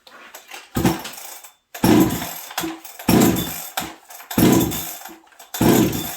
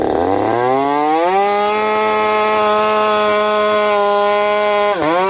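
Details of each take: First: Stock Husqvarna 372XP chainsaw fitted with a UFO muffler, running in very cold winter weather: revs up in bursts with short hesitant dips coming off idle. The low-speed jet is set slightly low, causing a small stumble unrelated to the pipe. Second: Husqvarna 372XP chainsaw fitted with a new bolt-on UFO pipe, warmed up at about -30 to -40 °C, cutting frozen ash: high steady two-stroke scream holding speed in the cut, slight burble; healthy four-stroking, just on the rich side.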